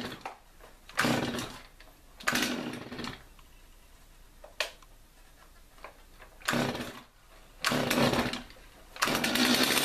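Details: Stihl MS250 chainsaw after carburetor rebuild, test run: crisp throttle blips rise cleanly and drop back to steady idle without stumbling; running normally.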